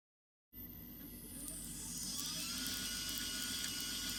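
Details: HEQ5 Pro telescope mount after a rebuild: motor starts with a high whir and a whine that climbs steadily in pitch while slewing, loud and gritty.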